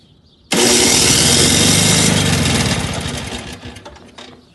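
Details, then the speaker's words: Two-stroke snowblower at its first start of the season, on electric start with choke on and primer pumped: the starter spins the engine steadily for about three seconds, then winds down with no firing. It cranks but won't start; owner plans to remove the carburetor. "it's like it almost wants to do it it's almost there but apparently"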